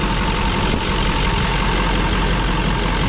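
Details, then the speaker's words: LLY Duramax after a Pusher hot/cold side, Y-bridge and S&B intake install, hood off, warming up with coolant in; deep steady diesel rumble at fast even idle, no knocks or misses, no leaks so far; normal warm-up idle. "We got some coolant in it. We're gonna let it warm up here. Obviously still have the hood off, but everything so far is looking okay."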